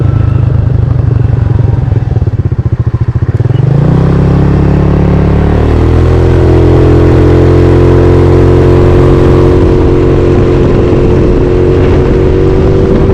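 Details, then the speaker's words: GY6 scooter after electric fuel pump install and vacuum system delete, tip switch removed, 120 main jet: engine climbs smoothly from choppy low idle to steady drone with no bogging; normal acceleration. "Yeah, no bogging issues at all. When I said my other bike ran too rich, it wasn't jetted like this one."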